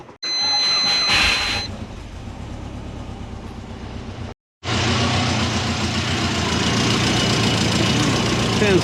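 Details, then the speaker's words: Subaru Forester idling, heard from underneath, with a soft, rapid puffing chuff. Exhaust is escaping through a small pinhole in a weld and possibly at the V-band clamps, which may not be tightening enough. "There we go. Bit of chopping out. coming out there. That might be coming out of the weld right there."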